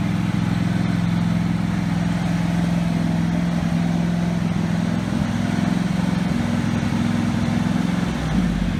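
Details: Husqvarna 48 GLS lawn tractor with a racing-engine fault, running on only the high-speed governor spring with the idle screw set: small single-cylinder engine drones smoothly and evenly with no hunting here; the spring is not the correct one and it surges elsewhere.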